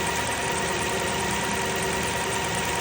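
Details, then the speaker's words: 2002 Lexus LS430 V8 at idle, VVT solenoid energized (spark shows current, it clicks with engine off): steady, even idle never stumbles or drops, so the solenoid has no effect; suspected VVT fault, not confirmed. "which signifies that that current is flowing. So that valve that solenoid is not uh it is engaging but it is not making any difference."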